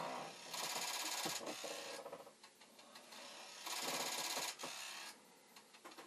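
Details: Commodore 1541 floppy drive, test-drive mechanism on the faulty drive's board, after loosening and tweaking the head stop for alignment: rapid rattling head chatter in repeated bursts, about three per second, failing to read the disk; head knocking.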